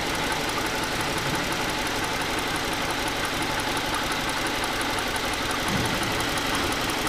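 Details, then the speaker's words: 2008 Ford Edge 3.5L V6 with a rough idle, no power and a check engine light: uneven, loping beat from a single-cylinder misfire; unplugging that coil gives no change. Suspected faulty PCM or melted ignition coil. "know if you can see that shake it's definitely misfire and that one's unplugged and there is no change"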